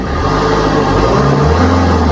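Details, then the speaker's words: Maruti Swift diesel after alternator pulley replacement: engine revs up and settles with a smooth hum, no creak or squeal from the belt side; earlier creaking on starting and revving gone, normal revving. "കുഴപ്പമൊന്നുമില്ല sound ഒക്കെ ready ആയിട്ടുണ്ട് കണ്ടോ normal sound ആയിട്ടുണ്ട്"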